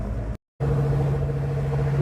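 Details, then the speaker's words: Ford Mustang ("Piece Of Stang") rear differential at highway cruise after a bent-axle fix. A steady, constant-pitch ring-and-pinion whine sits over road rumble because the gears were set up wrong. No internal damage was found, and the earlier bubbling noise is gone. "We definitely have some gear wine as you can hear. That's just the way I set the gears. I screwed them up."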